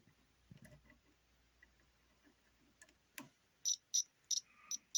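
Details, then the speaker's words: Multimeter continuity test on a PS4 controller motherboard at the analog stick: short, sharp high beeps in separate bursts over near silence, confirming connection where the circuit is intact. "pretty much when you have connection and in to connection to make it work it'll make like this sound right here that's when it has connection"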